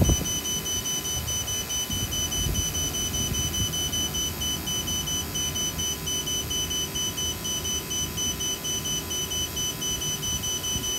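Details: Battery-powered vacuum pump with a check valve, on a refrigeration service call: a shrill, steady electronic tone pulses about twice a second over the pump's hum as the battery dies; low-battery alarm before shutdown.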